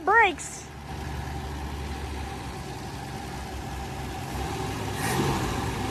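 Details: Dodge Dart sitting since 1992, restarted outdoors in the field (no brakes, flat tire): short chirp at start, then a quiet, steady low idle with no stumbling; fired right up again.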